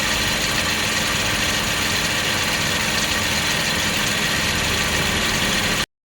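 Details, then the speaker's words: Car engine at idle after water pump replacement: even, steady idle with a smooth hiss and no knocking or squeal; the new water pump sounds normal. "Normal water pump sound after replacement."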